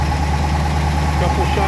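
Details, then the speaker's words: 1963 Studebaker Avanti R2 out of storage, just started after starter fluid got fuel up to the carburetor: a steady, even low rumble at slightly raised idle, no misses or knocks. This is a normal idle. "starter fluid so we got some fuel up to the carburetor and now she's running"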